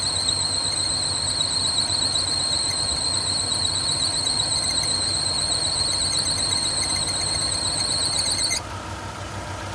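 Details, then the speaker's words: 2001-2004 Kia/Hyundai 1.6L with new belts, before replacing the harmonic balancer: a piercing, wavering belt chirp-squeal, strongest under A/C load, then plain engine noise. A walking pulley, not the power steering pump; the crank pulley is suspected. "We do have a walking pulley, but it's not the power steering pump. So, I'll get it started. You'll hear the chirp."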